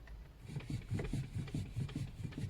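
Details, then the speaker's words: Lada Vesta, 75,000 km, steering wheel rocked back and forth: quiet, dull thuds about five per second; knock felt directly in the steering tie rods, to be replaced. "Я схватился за рулевые тяги и почувствовал этот неприятный стук прямо в них ."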